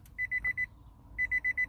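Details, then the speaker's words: 2013 Nissan Altima 2.5 with keyless push-button start, brake pressed: two bursts of four quick beeps, dash lights come on, but no starter or engine sound; cause not yet diagnosed. "entonces vamos a pisar el freno y vamos a intentar encenderlo no hace nada solo se prenden ahí las luces del tablero pero no enciende"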